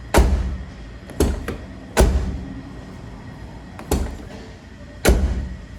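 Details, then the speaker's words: Hyundai HB20 door after a temporary fix, the latch lubricated with WD-40: several clean solid slams, no rattle or clack after; closes better, latch replacement still ideal. "a diferença ficou melhor tá fechando melhor"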